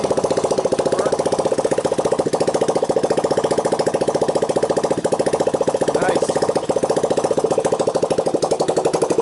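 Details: 1985 Honda ATC 200X junkyard three-wheeler idling after a cold start on starting fluid, camera on the tire. Steady, even single-cylinder putter with no ticking, clatter or bottom-end knock. Normal idle.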